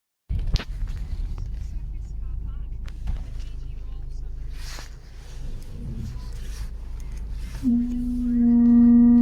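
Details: Range Rover Evoque after repair, driving: road rumble, then a steady low-pitched rear brake squeal or groan with ringing overtones near the end.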